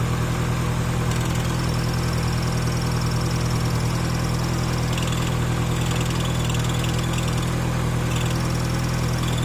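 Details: Great Wall Hover H2 at idle: a thin high whistle comes and goes over a steady idle, from a worn, dry clutch release bearing.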